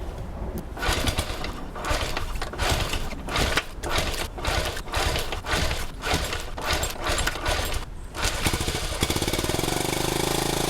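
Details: 1971 Honda CT90 single after cleaning a blocked carburetor jet, with ignition timing and valve clearance checked good: ragged, surging firing with gaps, then a faster buzz; still running poorly, carburetor issue suspected.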